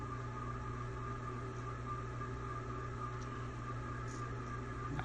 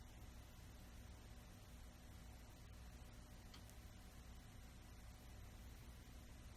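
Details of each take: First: Old rental-house ceiling fan running reversed at full speed: steady hum with thin high whine and squeaks from crusty, likely long-ungreased bearings; blades possibly unbalanced. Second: Old ceiling fan after repair of noisy, crunchy bearings: only a soft, steady low hum with no grinding or rhythm on low; much quieter than before, running smooth.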